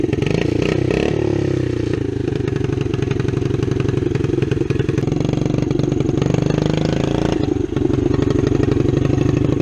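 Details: 1972 Honda SL70 small single-cylinder motorcycle project, running: even, rapid thumping with a little throttle blip and no knocks or rattles; normal running, healthy engine.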